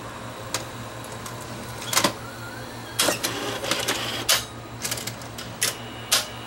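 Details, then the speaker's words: Sony VO5850 U-matic VCR fitted with a swapped video drum: on eject, clicks and clunks as tape unloads, then rising motor whir as it re-threads to half-load; eject won't complete. Owner suspects light hitting a sensor; also won't rewind, slow elevator, belts likely worn. "okay why is it doing that not supposed to do that not supposed to do that maybe because there's lights falling into here and hitting a sensor or something"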